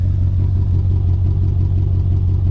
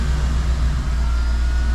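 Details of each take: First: Mercedes C55 AMG that lost power at bottom/top of fourth gear and sounds almost down a cylinder; not on full power, gearbox feels odd: deep, throbbing idle with uneven pulse; rough running engine, possibly misfire, cause unknown. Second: Mercedes G-Wagen after repair, fired up and idling deep, smooth and even with a steady rumble, no misses or knocks; healthy idle.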